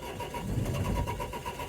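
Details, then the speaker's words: 2004 Renault Trafic 1.9 dCi diesel, crank-no-start with fault DF195, boost pack on the battery: fast, even starter cranking with a low engine pulse that nearly catches but never runs. "right boost pack is now hooked up to the battery oh it sounds like a it's turning over a lot faster"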